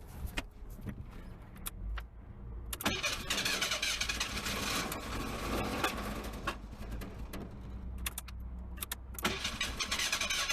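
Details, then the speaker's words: Merkur with no gas in the tank, starting fluid sprayed into the throttle body: long stretches of cranking that catch briefly, then die. Extended cranking, no start; the owner suspects lack of fuel. "I don't think I got no fuel in it I think if I put fuel it'll start right up I really do"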